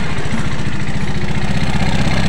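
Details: Yamaha Mio automatic scooter idling with clogged oil filter having starved the head of oil: coarse, gravelly clatter over the low thump, engine sounds very harsh. Scored, worn piston and cylinder block.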